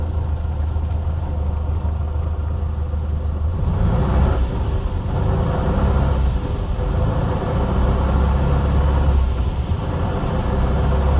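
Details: 1968 VW Beetle semi-automatic (AutoStick): low, uneven drone from the rear engine with rough irregular swells; noisy, growling transaxle, exact fault unclear.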